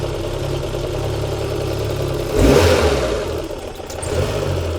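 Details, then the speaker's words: Citroen BX 16-valve running with regulator vacuum line squeezed: note steadies and smooths, dies when released; petrol found coming out of the fuel pressure regulator vacuum line; rough running from leaking fuel pressure regulator. "And the reason it's doing this is very simple because if I take that off, there's petrol coming out of the vacuum line. It's not meant to do that."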